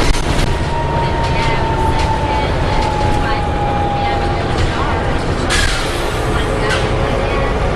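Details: Alexander ALX400 bus (W665 CWX) in service while driving: steady high howl drifting slightly in pitch over road rumble; source unclear; howling noise while driving.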